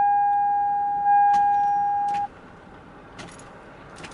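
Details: 2001 Toyota Sienna with dim, flickering dash lights; the key turn gives a steady high whine for about two seconds with no cranking beat, then silence. Faulty starter, no crank.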